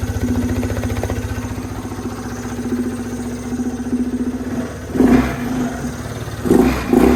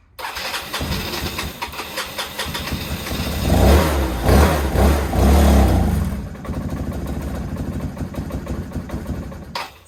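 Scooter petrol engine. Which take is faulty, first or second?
second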